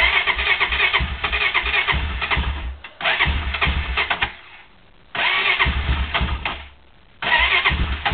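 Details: Cold start attempt on a Honda quad: several two-second cranking bursts, engine chuffing and nearly catching but never running; cranks but won't start, it almost started this time.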